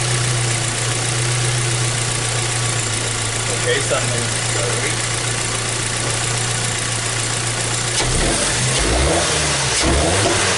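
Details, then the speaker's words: 2014 Hyundai Tucson 2.0 L petrol, after spark plugs swapped: even, steady idle with no shake or miss, then a clean rev that rises and falls smoothly; no longer shaking at idle; normal idle and rev. "okay so you the vehicle is running right it's running real smooth it's not shaking up on island like it was before right"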